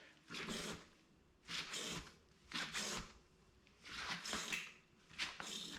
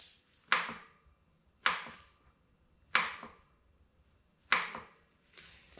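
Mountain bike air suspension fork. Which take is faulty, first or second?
second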